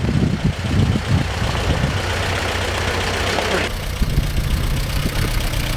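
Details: 1945/1946 Allis Chalmers Model B tractor, magneto ignition, barn-stored about 20 years, after some dirt was cleared from the fuel: steady low engine beat, firm and even, with no knocks or misses; running healthy and sweet.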